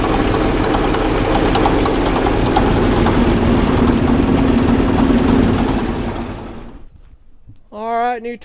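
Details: Ex-military, low-hours Cat D8K with a D342 diesel, after work to fix exhaust leaks, run without a muffler: steady idle with no ticking or puffing before it winds down. Sealed up; the smoke is shipping oil burning off.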